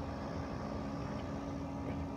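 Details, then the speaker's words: Recently fixed central AC outdoor unit running in the morning, before the LG window unit starts: quiet steady hum, soft drone and even fan rush, no rattles or clicks; running normally. "and that way you can put it into your window but the central units already running hear that"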